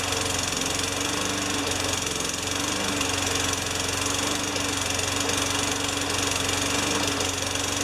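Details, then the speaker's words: Junkyard 5HP Tecumseh mower engine with new primer bulb: fast but ragged uneven running; partly clogged carburetor passage. "brand new primer bulb and i think i found a clog in the carburetor that should do it"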